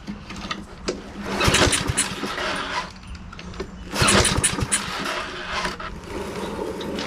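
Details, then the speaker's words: Husqvarna all-wheel-drive self-propelled mower unused 3–4 years, before carburetor cleaning: two rope pulls each give a short ragged sputter but never catch; no start from fuel starvation. "It's just not getting fuel yet. I am probably going to take the car off and go ahead and clean it, so that'll be the next step,"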